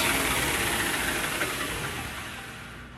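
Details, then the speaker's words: 2x72 KMG belt grinder, testing the platen wheels after screeching began; the good wheel's smooth, even whirring hiss with no knock or rumble, as it normally sounds; the other wheel's bearing is shot; normal running. "you can hear the difference he's running really quiet and that's the way it normally sounds"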